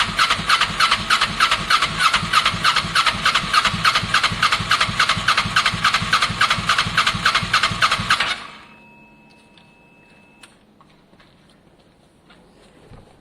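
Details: Kawasaki ER6n project bike, first start-up attempt on a borrowed new battery with old fuel in the lines: starter churns about 3.5 pulses a second for eight seconds, never catches. Crank no start; owner unsure whether spark is present, cause unconfirmed.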